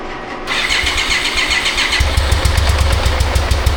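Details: 1995 BMW K75RT that sat about 9 years, after fuel system overhaul and new fan and coolant temp sensor: starts with an uneven stumbling beat, about three pulses a second; injectors not delivering fuel on all cylinders.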